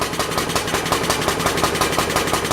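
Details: Universal model 42 RSS generator, 2500 W, rated 1800 RPM, first run after 5 years with fresh gas, lighting a lamp: low, lazy, even beat of about five or six firings a second; running slow because the choke was left on.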